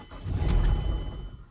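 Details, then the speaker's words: 2007 Mazda four-cylinder: fuel pump heard at key-on, but cranking gives only a weak, sputtering catch that dies, then no firing; failed fuel pump, fixed by replacement. "you get that. And that is the best it's going to do. I'll do it again, and this time it won't even fire. It just cranks."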